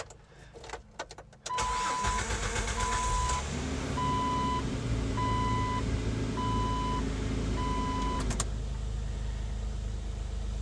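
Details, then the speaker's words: 2004 Jeep Wrangler TJ after replacing the oil pressure sending unit: short crank, quick catch, smooth even idle under a pulsing door chime; healthy, gauge shows oil pressure, though a pressure drop at red lights was later still reported. "All right, so really all we have left to do here is just start it up and make sure we're getting an oil pressure reading in the gauge."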